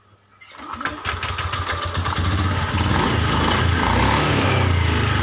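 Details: Honda Beat eSP scooter, after replacing a faulty part, clearing fault codes and ECM reset with key-off/on relearn: catches quickly and revs smoothly with clean throttle response, no stumbling; normal start and rev, cured of severe throttle stutter.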